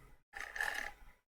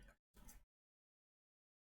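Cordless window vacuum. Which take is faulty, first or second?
first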